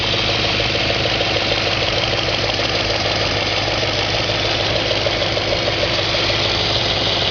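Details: 2004 Audi S4 4.2L V8 at idle, gauge showing over 100 psi at idle: a sharp, fairly regular tapping about three times a second over the engine note; engine knock of unknown origin.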